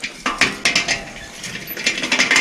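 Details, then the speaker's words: Old, unserviced Torpedo Jet bicycle hub with no play, wheel spinning: irregular metallic ticking and clinking where a good hub should be silent. Rough, unserviced hub bearings. "auf alle fälle endlager wie man hört hört man sehr viel und man sollte nichts hören"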